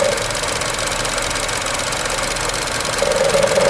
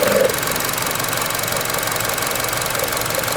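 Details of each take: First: 2012 Chevy Cruze Eco EcoTec, 156,000 miles: an even, soft, quiet idle with a faint high whistle and no knock or miss. Normal. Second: 2012 Chevy Cruze Eco, 1.4 turbo Ecotec, 156,000 miles, at idle: a light fast rattle over a quiet idle that stops when the part is held by hand. Engine cover rattling at idle.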